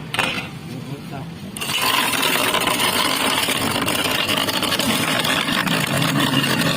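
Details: Carlton BES400FD double-blade ice shaver, 250 W, 220 V, 15000 r/min; steady motor whirr while ice rattles and scrapes irregularly from cubes shifting inside; motor smooth, normal operation with ice.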